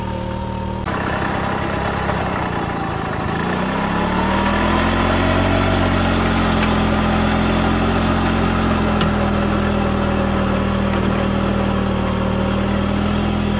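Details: Restored 1940s Simar two-wheel tractor rotary tiller, single-cylinder engine: picks up speed and settles into a steady, even beat with no knocks or misses; starts easily and runs smooth and healthy.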